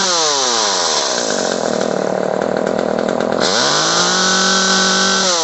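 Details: Echo CS-303T chainsaw, previously bogging on throttle, after turning the H carburetor screw about half a turn counterclockwise: strong, clean rev dropping smoothly to a steady, even idle without bogging; runs and idles properly.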